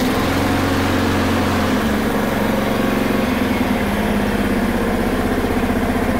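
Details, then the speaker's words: Honda HRR216 mower that stalled when the clutch engaged, blamed on a bad aftermarket carb, after the fix: steady, even speed with no surging or misfire. Normal running. "There you have it. Looks like it was a simple little thing of bad aftermarket carb. After that, works great."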